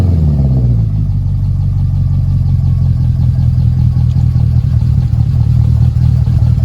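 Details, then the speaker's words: Wrecked W204 Mercedes C63 AMG V8 with front-impact damage, first start after sitting over a year: deep idle chugs unevenly with a lumpy, stumbling beat; misfiring badly. "Obviously, this thing was misfiring like crazy."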